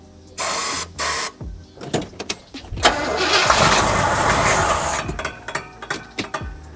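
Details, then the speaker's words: 1977 Oldsmobile 442, sitting 30 years, after a new fuel pump was installed and a line run to a gas can. Repeated starter bursts, then it catches and runs roughly for a couple of seconds among clatter; first start in 30 years. "she going to run well that's what the first start in 30 years looks like"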